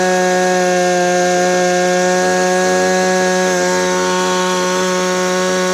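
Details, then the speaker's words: Maruyama CBC20 two-stroke brush cutter after rebuild with new crankshaft bearings, rod in good condition, tested without the clutch fitted: clean, steady high-pitched buzz at even revs, no surging, misses or rattle; healthy running. "สตาร์ทเสียงเครื่องก็จะเงียบไปเลยนะครับเพราะว่าเราเปลี่ยนลูกปืนข้อเหวี่ยงด้วยแล้วก็ก้านของตัวเนี้ยมันมันสภาพมันดีครับมันก็เลยมีเสียงนิ่งๆแบบนี้ได้นะครับมาลองเลงเครื่องดูนะครับ"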